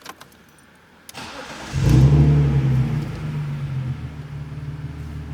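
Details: BMW E46 drift car, first start after replacing the fuel pump assembly to fix a fuelling issue, check engine light still on: quick crank, it catches, flares and settles into a smooth, steady idle with no misfire. Normal start and idle.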